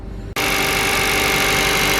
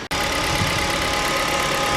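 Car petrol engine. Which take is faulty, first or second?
first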